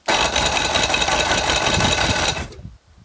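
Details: 1999 Force 120 (Mercury) two-stroke outboard off a Bayliner, cranking during compression test, old sooty plugs: brisk, even cranking chatter about four beats a second for two seconds; starter turns freely, compression about 11.5–12.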